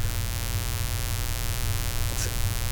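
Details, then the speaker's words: 10-gallon air compressor thought to draw about 13 amps, run from a 2000 W continuous (4000 W surge) inverter in a Suburban: constant low hum with no run-up, so the motor is stalled; owner suspects it pulls too many amps for the inverter. "wants to run it but it can't if the pulling too many amps for the inverter or something"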